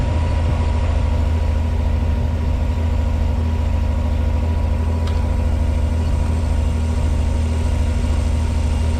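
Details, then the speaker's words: 1986 Pontiac Fiero SE V6 with known high idle problem, just started cold; smooth even idle at 1,220 rpm per timing-light tach, slowly coming down while warming; owner suspects vacuum leak, idle control or sensor issue: high idle. "She's idling at 1,220 RPM. And it sounds like it. So, we're going to let her warm up."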